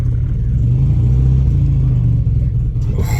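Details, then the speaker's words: Audi TT with a holed piston, driving onto a ramp: deep uneven rumble, lumpy and strained under load, no power to climb the ramp bump, engine shaking; misfire from a dead cylinder. "i wonder if it has even got enough power to drive into the unit it's not even got the power to get itself over the bump in the ramp"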